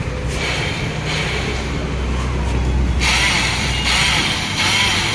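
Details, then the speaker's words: Hero Passion Pro, self-start button pressed: repeated short whirring bursts from the starter but the engine never turns over; starter one-way clutch slipping. "आवाज़ आ रही है दोस्तों, self नहीं चल रहा है, तो हम इसको मैग्नेट खोल के देखने वाले हैं, तो हमारे साथ बने रहिए दोस्तों।"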